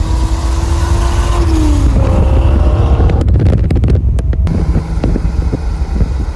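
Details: 1999-04 Mustang GT 4.6 V8 first start after Flashark long tube header install, wheels off: catches, pitch climbs, deep loud burble with throttle blips; nothing rattling, sounds healthy.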